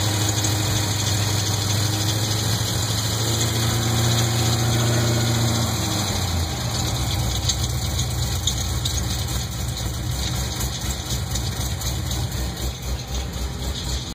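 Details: LS2 V8 at idle: fast, fairly regular ticking that continues as the revs change, pointing to the valvetrain. Possible lifter knock, suspected but not confirmed.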